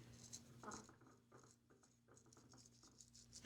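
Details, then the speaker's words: Trek District bicycle bottom bracket bearing, drive side, the dirtiest one, turned by hand after removal: irregular gritty clicking and patter, bearings knocking; a noisy, rough bearing. "Yeah, that's a noisy one."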